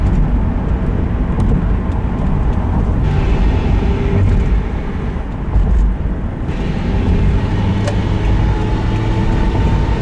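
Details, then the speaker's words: 2001 Subaru Forester, 126,000 miles, driving: rough grinding under road rumble when accelerating or touching throttle while coasting, gone off throttle; owner suspects transmission or bearings, unconfirmed. "a grinding noise when I accelerate and also when I'm coasting and I touch the gas pedal if I let go of the gas pedal you can't hear it"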